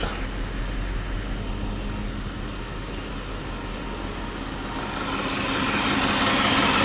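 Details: 2009 Audi Q7 4.2 V8 FSI at idle: uneven, lumpy beat with a recurring stumble about three per second; live data shows cylinder 4 misfiring, with the coil and spark plug to be checked.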